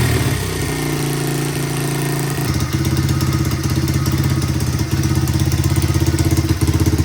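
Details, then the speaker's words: 1985 Honda XR100 single, needle raised one notch to lean the main after rich break-up at half throttle and above, pilot jet 35 to 38, main jet changed: idles then revs clean, steady, no stumbling. Clean revving. "So I raised that needle one notch to lean out the main there a little bit, and it cleared that up pretty good. Revving it up a little bit, it's a lot cleaner."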